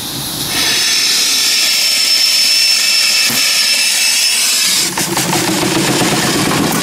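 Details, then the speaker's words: Steam engine and boiler with safety valve at about 125 psi; strong steam hiss with a faint loose chuffing beat, engine turning only about 350 rpm, owner expects faster running once broken in; slow running. "so I'm going to run the engine a little bit it does run 350 RPM that's the problem um when it breaks in they'll probably run faster"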